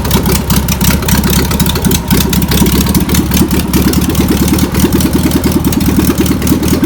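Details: Old VW pressed-bumper-panel bus air-cooled engine, sat over 50 years, fuel pump suspected bad: rough but steady chatter with a fast, even pulse, no heavy knocking; engine runs on its own.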